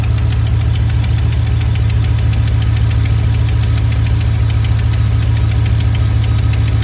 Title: Lifter tick? July 18, 2025